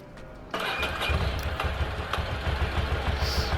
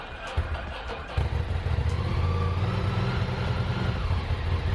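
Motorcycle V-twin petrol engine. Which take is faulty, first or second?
first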